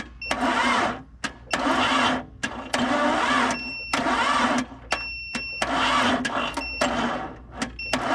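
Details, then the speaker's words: Barn-find later-model 1998 Jeep Cherokee XJ, long sat, on jumper cables and a booster pack: repeated short, slow, laboured cranking bursts that never fire, with some oil pressure; the battery is too weak to spin it. "well we did get a little bit of oil pressure even as slow as she's turning over so that's a good sign uh i don't know if these jumper cables and this booster pack is gonna work"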